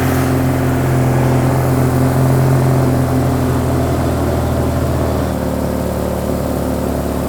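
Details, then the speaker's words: Suzuki Katana being recommissioned: steady low engine beat with slightly uneven pulse shifting near the end; two cylinders suspected down, possibly failing coil pack or crossed leads; also not fuelling right. "a coil pack going down on this could be a coil pack going down on it because the two cylinders have gone down they're still firing"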